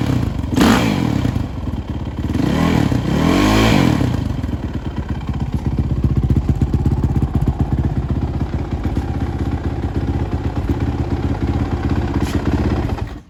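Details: Suzuki RMZ450 single-cylinder dirt bike after major head rebuild, first run: revs blipped, surging and hunting unevenly instead of settling; erratic running, owner suspects lean condition since head glowed red hot within seconds.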